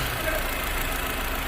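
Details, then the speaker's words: 2015 VW Fox with a morning cold-start noise complaint, started after reassembly work at the manifold area, not yet warmed up: quiet, even idle hum with no rattle or knock; normal idle. "galera funcionou aí ó silenciosinha Show de bola bacaninha né"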